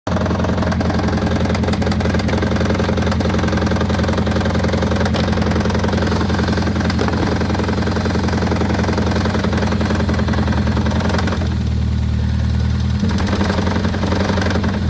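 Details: 2004-2009 Toyota Prius 1.5L petrol engine running rough at idle with loose uneven knock, about three to four beats a second; suspected rod knock, not confirmed.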